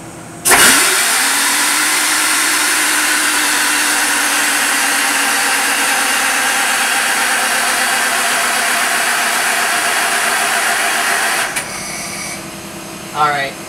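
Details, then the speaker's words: J. G. Brill gasoline motor car 120, ignition on, fan running, starting spray used: long labored eleven-second crank that never catches; no start, battery down to about 9–10 volts, low battery suspected. "I think we're running low on battery now."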